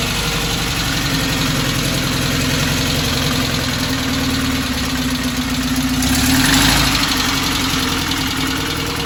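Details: 1968 Porsche 912 air-cooled flat-four with rebuilt, tuned carburetors after fixing a bad fuel hose and doubled-up O-ring: even, steady idle with smooth low beat, no knocks or stumbles; healthy, though an exhaust leak remains.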